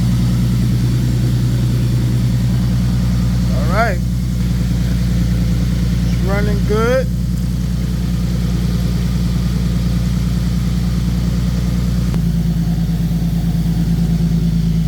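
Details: 2015 Nissan 370Z after front-end collision and frame repair, idling after its cold start: smooth, steady idle with even low hum, no ticking, knocking or stumbling; running good, healthy.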